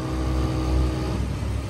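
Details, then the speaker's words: Low, even smooth idle rumble of a Jeep XJ engine after a broken timing chain tensioner led to a full new timing set; no knocks or misses, purring like a kitten. "yeah hold on look how much smoother that bad boy run purr's like a kitten when you when you do correctly purr's like a kit"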